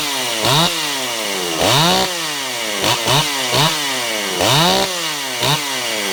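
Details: Ported Stihl 028 Wood Boss, weird run condition fixed by adding a gasket between carburetor and intake, tired clutch springs; snaps from steady idle to full revs and back in quick blips, clean and crisp, no bog: normal running.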